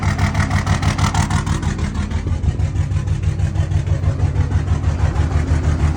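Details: 2003 Dodge Ram 2500 2WD Cummins at 302k on the clock, around 50°F, with weak batteries and freshly changed oil: heavy, lumpy idle throbbing about three times a second. There is also a throttle issue, with no CEL and no smoke. Rough idle.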